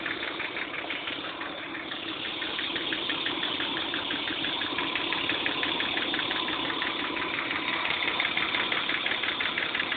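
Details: BMW M50TUB25 petrol straight-six idling with a sharp, steady clicking, about three ticks a second, over the engine hum; cause unknown to owner.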